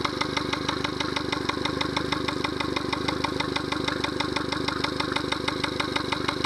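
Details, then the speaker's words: Yamaha 70 hp outboard at idle with an even knock about three times a second, no remote control alarm; caused by a Honda fuel line connector used instead of the correct Yamaha connector. "There's some knocking sound. I don't like that. Some knocking sound. Remote control, there's no alarm. Well, there's some knocking sound that you can hear."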